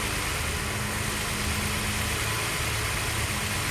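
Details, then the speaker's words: VW Golf VR6 on an untuned rusEFI UAEFI standalone ECU with new intake manifold, 470cc injectors and coil-on-plug ignition: keeps droning with a rough, hissy roar after the key is turned off, a run-on that won't shut down. "So as the key is here, it will run leaner and leaner"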